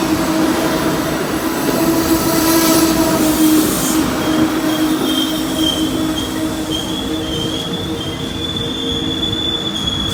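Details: Amtrak 20 with P42 locomotives passing NS AC44C6M and ES44DC locomotives; sustained high-pitched screech rising and drifting over rolling rail noise and clicks, wheel squeal, cause unclear.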